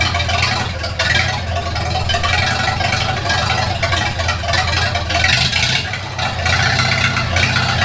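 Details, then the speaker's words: 1942 Farmall H tractor after transmission repair (scraping/screeching, hard shift from reverse): steady low-pitched chug at idle with even beat and no knocks or misfires; runs smoothly with carburetor not yet adjusted. "Well, it runs pretty good for not even adjusting the carburetor. Can't go wrong with that."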